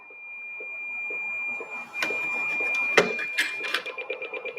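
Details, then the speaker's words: Radio SWR check with coax deliberately loosened, SWR reading 2.6: steady high tone, then slow, uneven beeps; slow beeping signals a bad SWR match, faster beeping good, steady tone perfect. "you can hear it beeping when it beeps really slow that means your SWR is really bad when it starts beeping a little quicker it means your SWR is good and when it goes to a steady tone that means your SWR is perfect"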